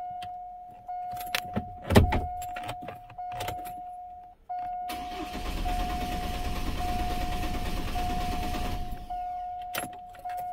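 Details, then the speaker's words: 2004 Chevy Colorado 3.5 L, towed in, died while driving: chime, then about four seconds of even cranking with no firing; almost no fuel pressure on key cycling. Owner suspects bad fuel pump, possibly regulator. "I got a funny feeling it's a bad pump because it's not building up anything but I mean it could be a bad regulator too it's just strange I got just about absolutely nothing"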